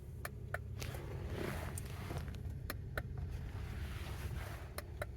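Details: 2009 Honda Odyssey where only the driver's window works: sharp, isolated relay clicks at each switch press with no motor running, and the other windows won't move from the master or their own switches; owner suspects the switch internals.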